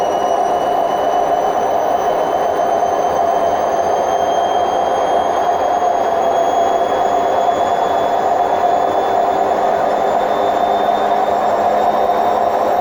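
Loud, steady roar with a thin whine climbing as the drum spins up: worn drum bearings grumbling under spin speed.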